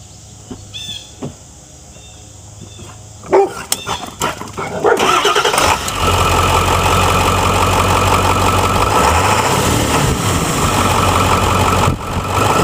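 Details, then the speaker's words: Ford F-350 Super Duty 7.3L Powerstroke diesel after dual alternator install, heavy-duty tensioner and one overdrive pulley refitted: cranks, fires and settles into an even clattering idle with no belt squeal or chirp. "I didn't use a lower one because that's the most likely to squeak I'm gonna make sure it doesn't squeak"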